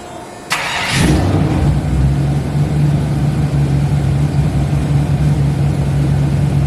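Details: Car's newly assembled engine, first start after reinstalling with clutch, oil pressure already built: quick crank, fires and settles into a smooth, steady low hum with even blips; normal start and rev.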